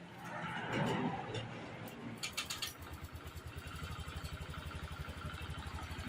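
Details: Honda Click 125i scooter, dead for six months: brief cranking, then the engine catches into a quick, even putter of about four beats a second. Normal idle.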